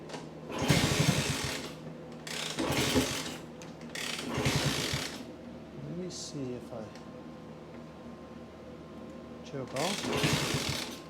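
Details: Vintage small pushrod-engine motorcycle (Kawasaki KS125 or Honda C200 project) after decades of sitting, key on, fuel on, choke on; spark, compression and fuel reportedly present. Four kick-start strokes of clatter and churning, no firing: cranks but will not start.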